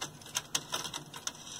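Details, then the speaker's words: Sony TC-WR820A dual cassette deck after transport service, belt and gear replacement: light mechanical clicks as the transport engages with tape detection switch pushed, then a soft quiet tape whir; play, reverse and fast forward now work normally. "and you press play and you see it engages there goes into reverse we've got root fast forward"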